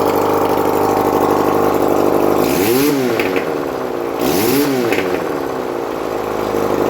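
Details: 1971 Honda CD175 K3 twin under restoration, running on a little fuel put in the carburetor, oil reaching the head: even idle with two clean throttle blips rising and falling smoothly, no misfire or knock; normal idle and revving.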